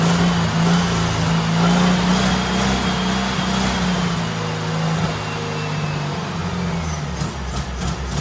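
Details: Turbo rat rod Porsche 930 on new larger carburetor setup, after adjustments: wavering, lumpy idle that sags and hunts; running well but not idling well, cause not pinned down.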